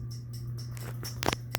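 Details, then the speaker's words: CEC (Commander Electric Corp) 52-inch hugger ceiling fan at medium speed, starting to wobble: steady motor hum with irregular ticks and sharp clinks as the pull chain rattles against the glass light globe. "that's where that stupid pull chain starts rattle on the globe this where you really can hear the sound"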